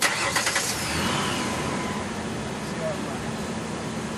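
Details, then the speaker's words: Car after battery reconnection and system reset: cranks briefly, fires cleanly and settles into a steady, even idle with no misses; no check engine light, not yet fully warm though warm outside. "If you notice, the vehicle is running smooth."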